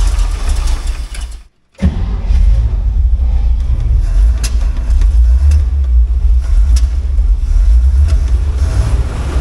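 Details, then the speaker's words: Old Dodge truck with a Chevy 350 V8 swapped in about 7 years ago but never finished, started cold on old gas: catches after a brief cranking gap, then runs loud and lumpy, stumbling into idle; rough running, which the owner blames on the old gas. "on old gas it's a little bit cranky but that's okay it's expected"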